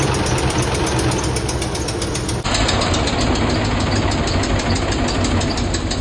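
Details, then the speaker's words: Ford F-150 5.4 3-valve replacement engine after a botched install, cold start: loud idle with a fast, even tick-tick rattle that stops after a while; exhaust leak on passenger side; cam phaser/timing chain suspected. "around this area is like a tick a tick tick tick tick and then it stops and it'll go away"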